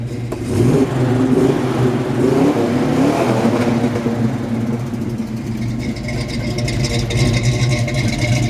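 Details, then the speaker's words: 1968 Pontiac GTO 6.5-liter V8, 4-speed, Flowmaster exhaust, revved in place: deep, even burble climbing smoothly and settling back, no knocks or misses; normal healthy V8 revving. "I love that sound. It's an awesome sound."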